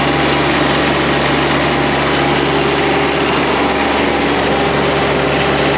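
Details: John Deere X758 diesel after an air and fuel filter change: a steady, even idle with a smooth drone and no misses or knocks. The engine runs cleanly and settles into a normal idle.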